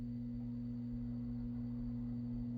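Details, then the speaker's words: Gifted Dynakit Stereo 70 tube amp, no preamp, tested with guitar: steady low hum with buzzing edge, present from first plug-in, left channel buzzing heavily; cause not yet found, may need new capacitors. "When I plugged it in for the first time, that buzz was coming out of the speaker and it wouldn't go away."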